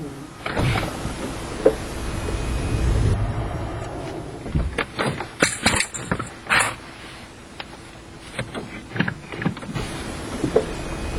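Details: Toyota Prius clunking when accelerating: over low running noise, a cluster of sharp, uneven clunks mid-clip as it pulls away; cause unclear.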